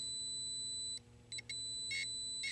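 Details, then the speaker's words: 1983 Atari Cloak and Dagger arcade PCB set under repair, game playing; logic probe on audio outputs goes from steady high whine to irregular buzzy bursts, showing sound signal present on both channels. "nope either sound so you can see when that logic probe goes crazy that sound"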